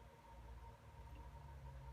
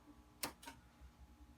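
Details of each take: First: Mesa Boogie Dual Rectifier guitar amp, bought broken, powered up slowly at 40 volts and 26 watts, bias switch set to EL34, low-voltage section only: quiet hum, then soft clicks as the switching relay energizes normally. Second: Mesa Boogie Dual Rectifier guitar amp, repaired and fitted with a MIDI and quiet channel-switching mod, clean channel turned all the way up: quiet hiss, then two tiny sharp pops a quarter second apart when switching to channel two.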